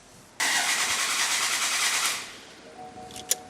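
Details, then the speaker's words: Toyota V6 with one bank turbocharged, running ethanol on factory ECU: starter cranks steadily under two seconds with no firing; crank, no start because the crank angle sensor was left unplugged after the turbo oil feed job, so no fuel or trigger. "Not working so far. So I don't think we got fuel, is my theory."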